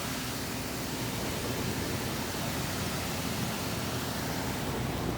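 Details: Lennox heat pump package unit after blower motor replacement, wheel set for counterclockwise rotation; steady even rush of air with smooth motor hum, no rubbing or ticking; blower running normally.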